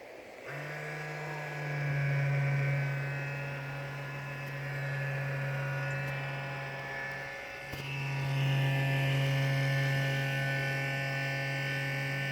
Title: M15 r3 fan. bad bearings?